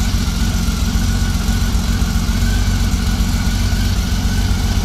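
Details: 1999 Honda Valkyrie Interstate six-cylinder idling after carb rebuild and four-bank sync: steady, even low rumble with no hanging or sagging after throttle snaps. Normal throttle response, though slow jets indicated slightly rich.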